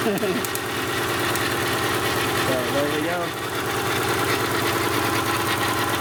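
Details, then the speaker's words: 2006 Subaru Outback SOHC during head gasket and water pump job, started on three cylinders with weak battery: uneven, lumpy idle with a stumbling beat, rough but running; sparking sound suspected nearby. "so a little rough on three cylinders but it's running"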